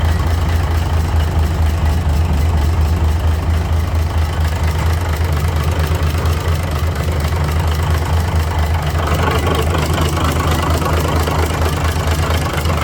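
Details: Cummins NHC250 diesel in a 1980s M818 5-ton military truck, first test run after adjustments, oil pressure 60 psi: deep, steady idle with even low chug, no knocking; much better than the popping noise it had when bought; normal idle.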